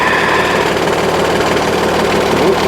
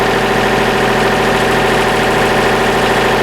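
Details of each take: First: Trailer hydraulic lift after a wedged stone ripped part of the lift mechanism out: harsh, uneven grinding with rapid knocking through the lift stroke, something caught and being crushed; lift binding, likely to need cutting off and redoing. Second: Hydraulic lift raised and lowered after removing a wedged stone that had crushed and ripped a part and made an earlier bad noise; now a steady, even pump hum with no knocking, surging or grinding, normal operation.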